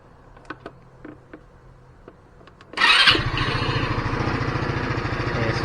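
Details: GY6 150 scooter that kept dying after a week parked, after removing the carburetor and cleaning the main jet: after a few clicks engine catches at once and settles into an even, steady low idle with no stumbling.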